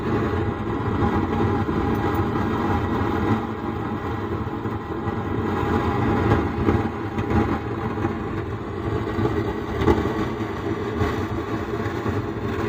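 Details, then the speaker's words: Sound Standard CA20 amplifier, opened up, powered on with volume at zero and no music: steady rough flapping hum from the speaker box that persists at any volume setting; suspected failed amplifier IC. "Amplifier में देखिए य जो signal का light है LED है य खिल रहा है और एमप्लीफायर चालू है लेकिन इसमें वॉल्यूम बंद है फिर भी देखिए बॉक्स में ऐसे आवाज आ रहा है"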